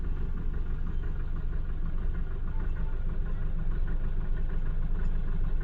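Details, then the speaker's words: Mahindra Bolero Neo diesel at idle after a long crank to start, check engine light on: rough, shaky idle with a dull knock about three times a second and heavy engine and body vibration; misfire traced to a faulty rail pressure sensor. "Car हमारी start है। किस तरीके से knocking कर रही है। कांप रही है। तो ये इंजन का हालत है।"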